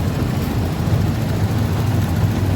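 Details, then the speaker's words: Yamaha Jupiter MX, hot engine: keeps chugging at a steady idle after the ignition is switched off; a cable miswired to the fan temperature sensor fed the ignition, and disconnecting it let the engine shut off. "Okay, try turning off the ignition. Off. The ignition is already off. But the engine is still running."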